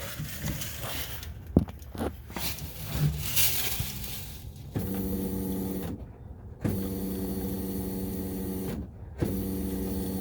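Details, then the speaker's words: 2002 Chevy Silverado, key turned on with phone near the pump: steady electric hum for a few seconds, then stops; the fuel pump is priming normally. "the fuel pump should run when you first turn the key to the on position so if you're in a pretty quiet place you should be able to just turn the key on and you can hear it running for just a few seconds"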